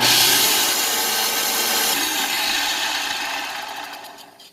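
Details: Bissell Powerforce Helix 1240 vacuum after cleaning and fitting the belt that had left the brushroll not spinning. It gives a loud, even, high rushing whir with no slapping or grinding, then winds down smoothly; the motor and brushroll run properly.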